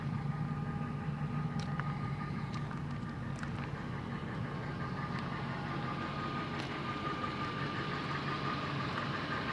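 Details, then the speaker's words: 2004 Lincoln Navigator 5.4 V8, hood open, after a vacuum leak repair; deep, steady burble at idle with an even unbroken rumble, no knocks or misses, owner says it runs real good: normal idle. "listen to that engine sounds brand new well yeah it doesn't sound like brand new but it runs real good"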